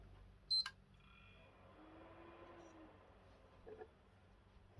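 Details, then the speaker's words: Game console that shut off after its fan ramped up, tested after reassembly following heat repair work: single short high beep then faint fan hum; normal power-on beep, console boots. "that sounds a bit better do you know what when you're not overly confident and it boots up you've got to think to yourself wow"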